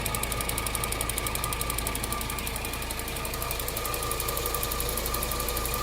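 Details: 2008 Cadillac CTS AWD after a timing chain job: a fast, steady ticking at about two per second rides over the idle, something in the timing area clattering.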